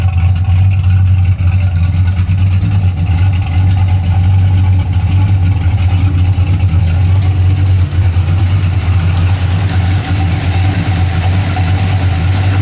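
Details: 1981 Camaro V8 after a roller cam, aluminum heads and intake swap, retuned, warm with 35–40 psi oil pressure: a steady, even idle with a firm lopey exhaust note and no knocks or misses. It sounds healthy and well tuned.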